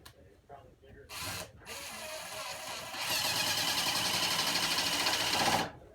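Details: Stealth Force Gen5x impact driver at speed 2 driving 2-inch T25 Torx screws: a burst of even hammering clatter, steady with no slipping or grinding, impacting slower but harder than typical impacts; normal operation.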